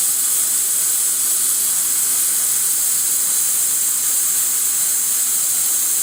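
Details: Worcester Bosch 38 CDi boiler system after draining and refilling, radiator hot at the bottom and cold on top: a steady, even, non-pulsing hiss from the open bleed valve as trapped air vents. Afterward the radiator warms and pressure drops from above 1.5 to just over 1 bar.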